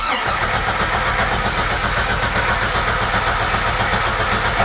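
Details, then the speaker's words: 1994 Jeep Wrangler: no fuel-pump sound at key-on, then steady fast cranking at about 2.5 turns per second with no firing or catch, not even a cough; crank, no start. "When I turn the ignition on, I do not hear the fuel pump. So maybe that's a good sign, it'll be an easy fix. But let's see here, crank no start."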